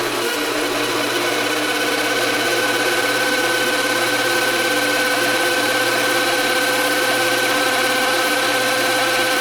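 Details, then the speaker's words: Hammond M101 organ tone generator, unplayed for many years, started in garage: steady organ-wheel hum with rough scratchy whirr and uneven ticking; sounds like a bad bearing, more oil being tried. "that sounds like a bad bearing not good all right let's see what more oil will do but that's not good"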